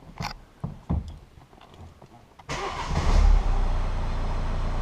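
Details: Peugeot 208 started after a dashboard and seatbelt swap: a few scattered clicks, then a brief crank; it catches and settles into a steady, even idle, a clean start.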